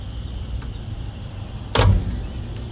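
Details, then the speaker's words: Residential AC outdoor unit with no cooling after a storm, tested by jumping thermostat wires at the unit: single contactor clunk, then low hum rising and holding steady; compressor and fan start normally. "Yep, everything kicking on, fan kicking on."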